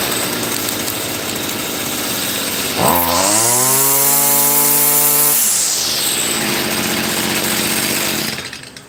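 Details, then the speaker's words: Stihl FS55R brush cutter, pawn shop non-starter now repaired: catches on the pull, revs with clean rising buzz, settles into steady running; normal start and running. "All right. Excellent. I'm so happy. Good job, America. Good job, America. Guys, I'm so happy that it works."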